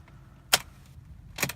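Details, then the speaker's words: 2003 Honda Accord V6 (7th gen), starter located low on engine: two sharp single clicks about a second apart with no cranking; failing starter that turns the engine over less and less, before replacement. "when you try and turn it over you might get a little click or something of the sort or you may get nothing at all sometimes it will go ahead and turn over but it seems to be doing that less and less"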